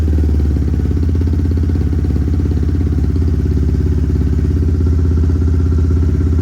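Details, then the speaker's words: Big-bore Honda Grom single-cylinder, reflashed with added idle fuel after reading about 16 AFR (way too lean): uneven, hunting idle around three pulses a second, still won't hold idle. "it does not want to idle that's for sure"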